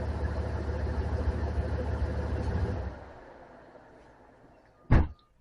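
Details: 2003 Dodge 2500 Hemi V8 after serpentine belt replacement: deep even idle with no ticks or belt squeal for a few seconds, then clean shutdown and a door thud; belt swap successful.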